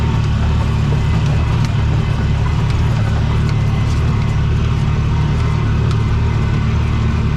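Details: Bobcat 3400XL (rebadged Polaris Ranger 500), single-cylinder fuel-injected 500, after rigging a replacement fuel pump giving 40 psi fuel pressure: steady deep drone holding even at full throttle, no stumbling or surging; normal full-throttle running.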